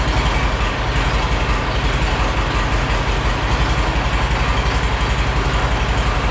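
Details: Caterpillar D311 Series H diesel generator set, first run after rewiring, started with plugs in: deep steady diesel clatter at even pace, no misses or knocks; running healthy and apparently making power.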